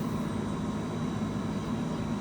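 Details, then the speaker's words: 1978 VW Super Beetle convertible, cabin blower fan switched on: steady, even whoosh of air with a low hum and no rattles or squeals; the fan works fine. "The fan should work fine. Definitely hear that. Feel it coming out of here."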